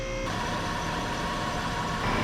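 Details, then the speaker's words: Trailblazer engine idling during a brake job, while an oil leak is traced near the oil pressure sender: even, steady hum with a faint constant high tone and no knocks or misses. The engine runs smoothly. "I mean, this baby sounds nice and smooth, but jack it up with it running."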